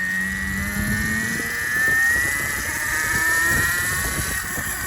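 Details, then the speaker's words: DB17 LR 72V electric bike with new Kelly KBX72121X controller, no faults shown: high whine rising with speed over a coarse rumbling growl, rough and loud; owner suspects false-positive hall combination. "I don't have any faults on the controller it seems very rough you hear it it doesn't like starting from a stop and it just sounds"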